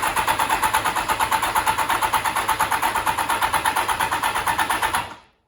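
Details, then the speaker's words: 1989 Kawasaki ZX7 (ZXR750), cylinder 2 compression test with throttle open, other plugs removed, after Sea Foam treatment. Starter cranks steadily with an even rhythm and no firing; compression rose from 10 to 170 psi, so piston rings were sticking. "So going from 10 pounds in a similar comparable test to 170 pounds tells me that I had an issue with sticking piston rings, which not really surprising,"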